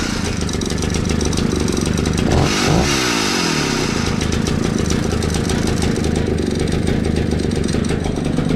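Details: 60-year-old Husqvarna 65 chainsaw, brittle aged part found, only semi-repaired: crisp idle, clean rev-up and return to steady idle with no stumbling; starts easily and runs nicely.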